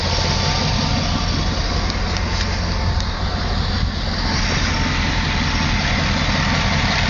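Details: LT1 V8 idling with an uneven raspy puffing under the engine note; it has sounded like this since purchase, and the owner suspects an exhaust leak.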